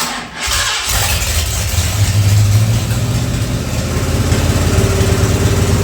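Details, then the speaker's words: Ford 302 V8 for an 84 Mazda truck, converted from EFI to carburettor, sat two years, first start on engine hoist, transmission in park: starter catches, steady loping idle with even firing, no knocks; timing sounds roughly right, healthy. "the sounds good that is exciting it's my first time ever doing that"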